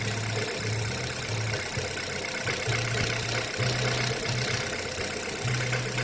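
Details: Kia Rio 3 cold start, idling cold: light tapping coming and going over the engine hum, about four per second; engine knock when cold, cause unclear.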